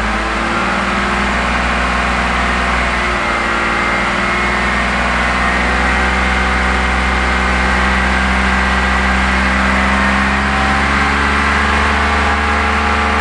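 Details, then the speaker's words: BMW E46 330i/325i, large vacuum leak deliberately made, engine held at raised RPM: lumpy, uneven drone as it misses; fuel trims climbing over 20, heading for P0171/P0174; vacuum leak misfire. "causing a vacuum leak you can now hear that's a large vacuum leak the engine's missing"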